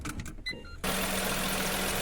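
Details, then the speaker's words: Car at first start-up: a steady, high, cricket-like chirping squeal rides over the idle. Pouring water on the belt stopped the noise, so it is accessory belt squeal, not a bearing. "parece que tem um grilo tá fazendo chiado você não sabe se é Correia ou rolamento"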